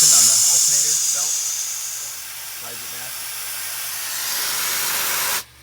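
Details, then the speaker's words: MCI 7 coach: a loud, steady high hiss for about five seconds that cuts off sharply. This is the big air leak at the alternator belt tensioner cylinder, present even from the off position. The cylinder is to be removed and rebuilt. "so our big air leak here is on this belt tensioner for the alternator I turn it on [Music] even one from the off position it's leaking"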